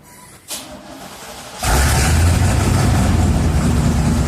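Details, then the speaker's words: 1987 Chevy 3500 454 TBI V8 with side exhaust, after a new distributor cap and rotor cured a misfire: short crank, then a deep, steady, even idle with no stumble; all eight cylinders firing cleanly. "okay this is what a 454 should sound like okay"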